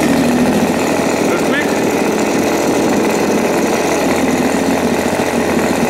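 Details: New Turnigy TP31-T 31cc twin gas engine (CD ignition, Walbro carb, factory-set timing) on break-in with a 30:1 fuel mix: a steady high-speed buzz with an even exhaust note and no misses or rattles, running cleanly.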